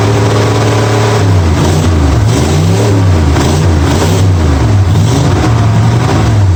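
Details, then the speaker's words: 1965 Mustang V8 with new headers after setting ignition timing to 12 degrees before, checked at number one cylinder: catches quickly, revs up, settles into a steady even rumble with no misfire or knock. "i put it where it's almost open and right at 12 degrees before and everything's good it should fire right up"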